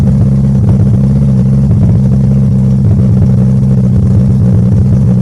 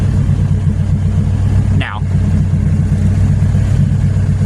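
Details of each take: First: Honda K20Z3 (KRX, RBC manifold believed), all-motor, untuned base map started from zero tables, cruising while rpm and load rise linearly: steady drone climbing in pitch with uneven stuttering edge; engine breaking up under load from untuned base map. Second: Honda Civic K20Z3, naturally aspirated, no idle valve, preliminary tune after wiring fix: steady even low idle just after start, smooth pulse, no misses or surging; air-fuel stable as post-start enrichment decays, normal idle.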